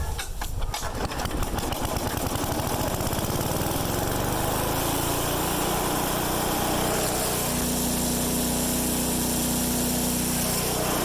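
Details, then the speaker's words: MTD-built Craftsman/Troy-Bilt chipper with newly replaced blades, started for a test run; the small engine catches and settles into a loud, steady, even roar with no misses or knocks, running normally. "I'll tell you one thing, it is a loud son of a gun, man. I should have brought my headphones, earphones, and ear protection."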